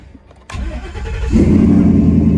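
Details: 800 HP single-turbo daily-driver Mustang after installing dual batteries with 0-gauge cable, relay and kill switch: quick strong crank under a second, then fires and settles into a steady lumpy idle; normal cranking and start.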